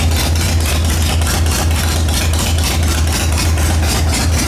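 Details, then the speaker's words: 2003 Harley-Davidson Sportster XL883 Hugger, first start after 10+ years sitting, fuel drained, carburetor pulled: deep steady potato-potato idle lope, even firing pulses, no knocks or rattles; healthy. "I'll tell you what, you ride this bike, you got nothing to be ashamed of. This bike sounds good."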